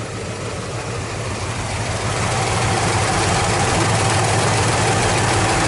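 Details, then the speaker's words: 1986 Chevy K10 with new 601 heads, fresh 5W-30 synthetic oil: rough idle with quick light clacking of about four taps per second after a half-turn rocker adjustment; loose rocker adjustment suspected, not confirmed. "Yeah, that was a half a turn on the rockers. Here, a little bit of clacking."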